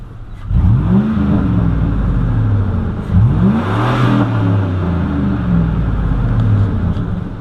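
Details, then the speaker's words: 2004 Silverado 5.3L V8 driven hard with the windows up after a new GM fan clutch was fitted: two clean revs with the pitch climbing smoothly and no roaring fan underneath; the fan noise is fixed. "that's where I really heard it before that's nice no more fan Busch everybody we got her good deal glad that fixed it"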